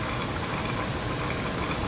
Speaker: So, let's slug it again. See what happens. Notice our BB dropped off. And now our BB is back. And you hear it gurgling.